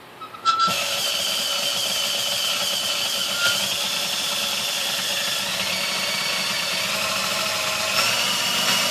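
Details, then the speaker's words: Sunbeam Mixmaster 1-7A mixer after cleaning, fresh oil, new grease and a replaced resistor: steady high-pitched motor whir with a faint whistle, smooth and even; slight skipping remains at the lowest speed but all speeds are now steadier. "alright 80-talet the very lowest speed it's still got a little bit of skipping in it and stuff but um it's uh it sounds much better at the dodging as you go up through the speeds"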